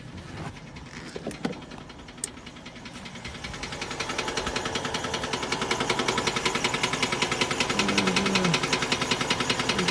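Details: Used engine bought online, warmed up, oil pressure 20 psi: steady heavy knock at idle about two to three times a second from a spun bearing that appeared while driving; expected to eventually lock up.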